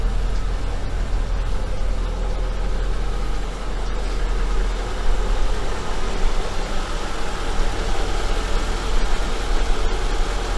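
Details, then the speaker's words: Engine after warranty capital rebuild for a knock (connecting rod bushing), warming up, not yet at operating temperature: smooth, even idle with a steady low hum and no tapping or knocking; runs quietly, healthy. "Так, машина прогревается, ещё не прогрелась до рабочей температуры, но, в принципе, перед вскрытием уже начинала тарабанить. Сейчас мотор работает тихо, без посторонних звуков."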